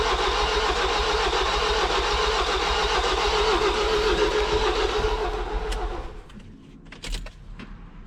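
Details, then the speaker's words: Ford 2.0L EcoBlue van just rebuilt after a wet timing belt failure, with new timing and oil pump belts: slow, flat starter cranking at about 3.5 beats a second for six seconds without starting. A weak battery is suspected, and jump leads are being connected. "it cranks but just really slow sounds really fat flat"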